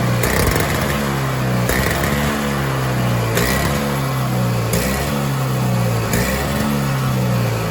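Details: Toro Power Clear 21in snowblower, 141cc 4hp two-stroke, after full carb teardown and the jet filed open. Speed still rises and falls about every 1.5 seconds, never settling; constant surging; a new carburetor is suspected to be needed; piston scoring found.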